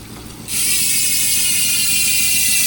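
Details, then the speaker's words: Speed One Soldier rear hub (sealed bearings) on a Mountainpeak Everest Pro V2 rigid MTB, spun freewheeling at fastest speed; rapid, even, high-pitched buzzing tick, loud but comfortable to the ear; healthy pawl freehub. "Matining. Pero sakto lang sa pandinig."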